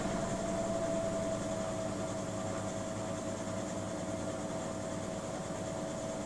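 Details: Miele W 5963 front-loading washing machine on the spin cycle: a steady rushing whir with a clear, sustained whine. The noise came back after a shop repair and is getting worse; noises at 00:27 and 00:52.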